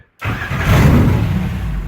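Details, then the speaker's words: Car with mechanical fuel injection, cold start after squirting fuel into each injector, in neutral: short crank catches with a quick rough burst, then fades and stalls while fuel is still being pushed toward the engine. It usually takes 2–3 tries when cold. "and that'll stall. All right, so that just started to basically pushing fuel up towards the engine."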